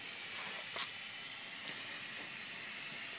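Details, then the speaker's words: 1978 C3 Corvette with LS1 engine and fabricated Holset HX55 turbo kit, not holding boost; intake pressurized with shop air for boost leak test: steady high airy hiss, engine off; significant leak at throttle body linkage, shown by soapy water. "really sounds like it's coming from the throttle body so if i spray it you can see it's in the linkage of the throttle body which is pretty significant"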